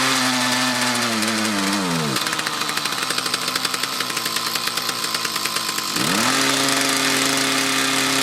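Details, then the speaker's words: Mantis tiller with two-stroke Kioritz Echo engine revs, sags and chugs under load, then recovers after idling; dirty carburetor and fuel lines, owner suspects fuel starvation from a restriction, maybe the fuel filter. "right so i could replicate the problem again as soon as you let off the gas let it idle for a little bit and reapply it works so i'm thinking it's not getting quite enough fuel"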